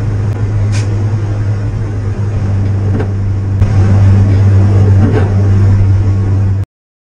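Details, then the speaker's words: 1967 Morris Minor started with no choke on a windy day: deep, slow, even thrum at idle, with wind buffeting; owner suspects he set the idle a bit too low and may raise it. Low idle speed. "you hear the idol is possibly possibly I put it a bit too low so I might have to tweak it up a bit"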